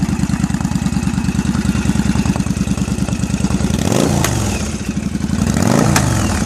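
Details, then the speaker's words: 2001 Yamaha V-Star 1100 Classic with just over 6,000 miles, still cold after shop repairs: an uneven, loping V-twin idle of about three beats a second, popping and stumbling between throttle blips. Owner suspects the choke or a lean mixture. Rough cold idle. "The choke. I don't know what's up with the choke. Maybe she's running too lean. That's why she's popping."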